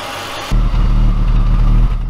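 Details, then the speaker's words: Abandoned BMW E39 5 Series first started after 3 years: deep, slightly uneven idle from a small misfire. No startup rattle, no knock, no coolant leak, no white or blue smoke; head gasket tests were fine. "but I can certainly hear a small misfire you guys hear that that is a misfire but everything else is looking good"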